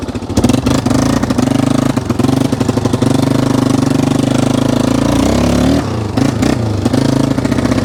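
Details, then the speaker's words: 1995 Yamaha Wolverine 350 single-cylinder, in for no-start after a backfire: at steady half throttle the putter breaks up with dropouts and surges; idle and high revs fine, flooding with too much gas suspected, needle possibly to be dropped one notch. "when you're like mid throttle half throttle it's definitely putting too much gas into the system yeah that's steady throttle right there"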